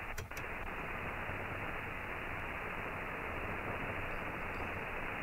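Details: Ham radio HF receiver on a doublet antenna: steady, even hiss with no buzzing or crackle riding on it, while the end-fed half-wave picks up inverter hash; clean, quiet reception.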